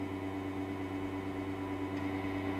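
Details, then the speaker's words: Wahoo Kickr Headwind fan at low settings, about 6 to 15 percent: steady low hum with tones around 300 Hz and an even whir, no knocks; odd-sounding but this noise is normal. "so it is a little bit annoying the headwind moves a lot of air even in the lower settings most of the time i am in a range between 6 and 15 percent but at that range you can hear this strange noise"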